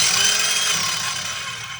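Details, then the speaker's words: Ridgid cordless circular saw from a free tool set, run with no blade: a high thin whine that sags and fades within two seconds, sounding low on power; the owner suspects it might be the battery. "The circular saw. Please tell me this works. Okay, not an auto stop one, and this thing don't sound like it has a lot of power."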